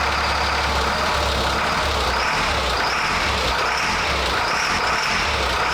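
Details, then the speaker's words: CAT diesel-swapped Ford F350 at idle just after startup: idle swells and sags about every second. Surging from fuel starvation because the FASS lift pump was unplugged once residual fuel pressure ran out. "So it's funny because it started right up, so it's got fuel pressure in it still, and then that's when that surging started, was when that fuel caught up where it was kind of starving,"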